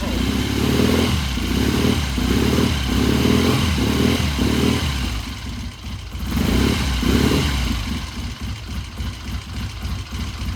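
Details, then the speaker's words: 1972 Triumph TR6 motorcycle after carburettor pilot jet check/change, cold start: even, regular twin idle with a couple of throttle blips, firing clean; starts and idles much better than the day before, when it was slow to warm up. "tell you what that sounds a whole lot better than it did yesterday all right well the proof is going to be when you go down the road that thing started right now and that idle sounded really good"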